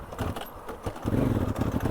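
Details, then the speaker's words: Honda Africa Twin CRF1000 pulling away from second gear bogs, cannot build revs and stalls; backfires into the air filter. Owner blames bad fuel (Pakistan) for the stalling, not confirmed. "Вот он. Он не смог даже обороты набрать. И все, и вот он заглох."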